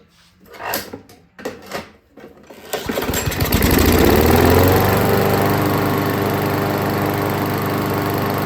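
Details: Craftsman lawnmower after reassembly, slightly overfilled oil causing white smoke: a few pulls, then catches and settles into steady even single-cylinder putter; starts and runs fine.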